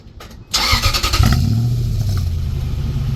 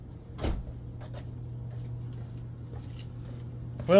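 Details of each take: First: Truck with the muffler removed, before a muffler patch repair: it cranks, catches and barks into a loud raspy rumble that stays coarse at idle. Loud open exhaust from the missing muffler. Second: Truck exhaust after temporary muffler patch made from an old license plate, phone by tailpipe: low, even idle drone with no rasp, puffing or hiss; sounds normal with muffler on.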